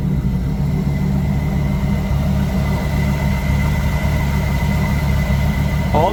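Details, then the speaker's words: Dodge Ram SRT10 with a Viper V10, under 100,000 miles, listed at auction with engine and transmission issues. Deep, steady rumble with an unbroken beat, no knocks or misses. Idles smoothly and healthy. "But does it run though? It runs, and it runs exceptionally well."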